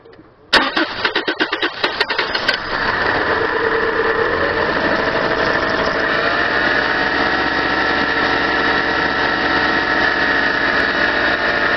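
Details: 1997 Subaru Outback with blown head gasket, running very low on fuel; about two seconds of uneven cranking, then a steady, slightly rough idle. Hard start, owner attributes it to low fuel.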